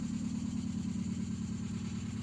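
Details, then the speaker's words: Carbureted engine started after sitting a week, before emissions delete and Weber carburetor fitment, smoke under the hood: low, lumpy idle with uneven pulsing, wavering beat; rough idle. "Ooh. Sounds pretty rough. Hear it? So we need to get that to sounding better."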